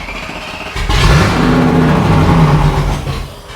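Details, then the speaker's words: Range Rover Classic automatic, started for the first time in seven years and just fitted with a new distributor replacing a corroded one, still revs with an uneven, lumpy, wavering beat; rough running, owner suspects injectors. "So obviously that was not the outcome we were wanting. The new Dizzy has not caused the engine to start running properly, but it needed to be replaced anyway because it was corroded."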